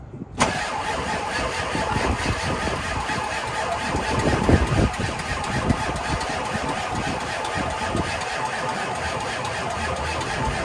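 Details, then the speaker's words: Ford diesel after a blown-fuse fix with a new part fitted and wait-to-start cycled: long, strained cranking for around ten seconds without catching. Cranking speed seems too low, suspected lack of battery power and electrical issues, not confirmed. "think I'm going to need more power we'll try it one more time might have to get the big jump"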